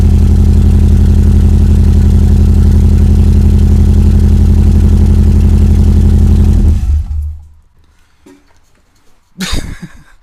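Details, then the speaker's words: Subaru EJ22T DOHC with RobTune EJ20G ECU, first start after MSD coil-pack wiring fix: lumpy, uneven idle pulse about four beats a second before shutoff; sounds like a misfire on one cylinder, running lean. "yeah it sounds like it's missing on one of the cylinders"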